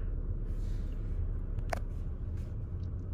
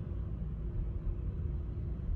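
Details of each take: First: 2019 Chevy Equinox, customer complaint of rough running and shaking, after clearing codes: smooth, even idle hum, scan tool showing zero misfires on all cylinders; normal idle. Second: 2019 Chevy Equinox 1.5-litre with automatic transmission, engine light and P0300 code, running rough with the rpm jumping: deep uneven idle that stumbles and surges, a misfire on cylinder four.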